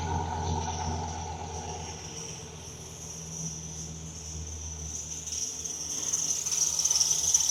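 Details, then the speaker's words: Dodge Ram SRT10 V10 pickup, sat for months, first running after ASD wiring fix: high steady squeal over the engine growing louder toward the end, from slipping accessory belts. "of belts squeaking, that's for sure."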